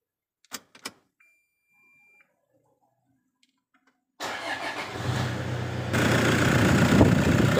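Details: Toyota Innova diesel with an added turbo and intercooler, remapped, and an automatic transmission upgraded with Go-Trans: quiet clicks, then it fires at once and settles into a steady, even idle clatter. Normal, healthy start and idle.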